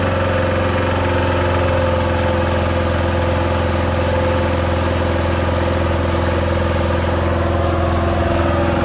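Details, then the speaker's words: 1970s push mower with a 3 hp Briggs & Stratton single-cylinder engine at full throttle: an uneven knock in the engine beat from a bad connecting rod, which is believed to have sheared the flywheel key. "not sure if you're gonna hear it it is knocking yeah it's it's got a really bad rod knock on it"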